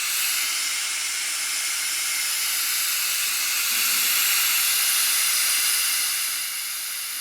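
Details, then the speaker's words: 1971 Nutting & Associates Computer Space arcade PCB set under repair, audio newly coupled to the main amp and audio out: steady loud hiss with no tones, only white noise because many capacitors are still missing. "all right we got white noise keep in mind we are missing a ton of capacitors so the sounds are going to be jacked up but I'm just happy that there is sound it is coming through"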